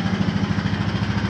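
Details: 2014 Honda Foreman 4x4 TRX 500 FM1 ATV, 444 miles, cold start: electric fuel pump needs a moment to refill the drained line, then a steady, even single-cylinder idle with a quick regular beat, no knocks or misses; normal healthy idle.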